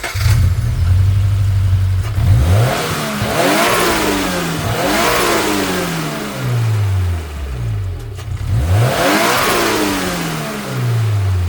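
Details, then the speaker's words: Turbocharged Subaru BRZ (Speed by Design kit) with blow-off valve replaced by block-off plate, parked and revved at idle: engine blips three times with only faint chatter on each drop, little compressor surge heard. "so not a whole lot of compression surges happening just you know revving it right here at idle"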